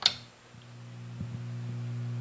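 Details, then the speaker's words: Fender Hot Rod Deluxe tube amp after inverter-circuit resistor repair, no input connected: steady low buzzing hum from a failing filter capacitor, to be replaced. "but you hear that she's got some hum if you take a look here it's got those notoriously bad filter caps in it so I'm going to have to change these out because obviously one of them is sick"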